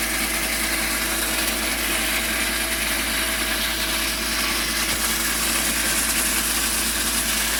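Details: BMW E46 323i (M52) idling with a constant high, harsh screech from the engine bay, likely a belt-driven part squealing.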